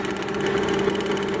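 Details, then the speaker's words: Mitsubishi Galant V6 with misfire codes 21, 53, 41, even rapid pulsing idle on all cylinders after no-continuity wiring from the igniter was repaired and spark restored to cylinders 3 and 6. Normal idle. "so Ayun oh mga kampa umandar na yung ano na okay na ganda na yung andar niya no"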